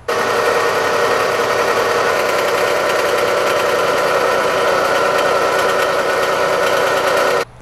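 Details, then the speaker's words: 2014 Dodge Avenger, 2.4-liter four-cylinder: steady high-pitched bearing whine rising with engine rpm over engine clatter, located with a stethoscope at the alternator decoupler pulley; worn internal bearing, decoupler pulley to be replaced. "whining noise is coming from the alternator decoupler pulley this is a very common problem for chrysler vehicles with a 2.4 liter engine"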